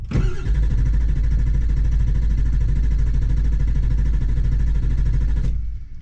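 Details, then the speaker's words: Broken-down Ford Powerstroke diesel truck, fuel filter just changed, low-fuel warning though above a quarter tank: steady starter cranking about five seconds with no firing at all; crank, no start. "is ujin here there's no firing"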